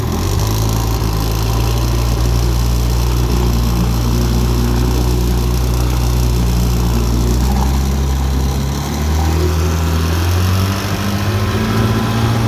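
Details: 1958 Johnson FD-12 18hp two-stroke outboard on a Sea Nymph 14R, sat for years, new points and condensers: steady burble holding an even idle, then picking up smoothly in pitch; normal idle, healthy runner.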